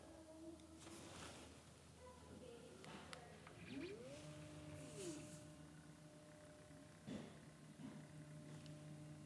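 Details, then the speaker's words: Camera slider motor drive noise, mic on chest near the slider as it runs a programmed back-and-forth move; quiet whine rising, holding, then falling in pitch as the carriage speeds up and slows; normal, fine if slider is farther away. "is it noisy so yeah a little bit of noise but you know again if it's a certain distance away it shouldn't be a problem"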